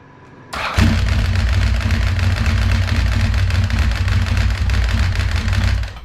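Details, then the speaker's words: 1992 Ducati 900SS, ignition on after Motogadget m.unit blue ignition switch and start button install: starter spins briefly, then the twin catches and settles into a steady, even low rumble until shut off; healthy start. "Now, if I hit this start button, it's going to turn over, and since the ignition's on, it might start."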